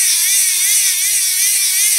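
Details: Hand-crank DC generator in a solar radio, after a spacer on the motor shaft fixed gears not meshing, producing just over 7 V unloaded: high, even whir wavering slightly with each crank stroke, no skipping or clacking; normal gear whir.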